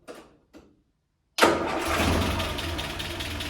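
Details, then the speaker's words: Land Rover Series 3, after head gasket replacement, retimed, run up to temperature: brief ignition click, engine catches at once and settles into steady, even idle; normal start. "Starts really well. I'm very pleased with that."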